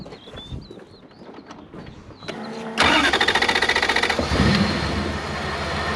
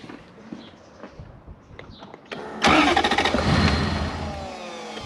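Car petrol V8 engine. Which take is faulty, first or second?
second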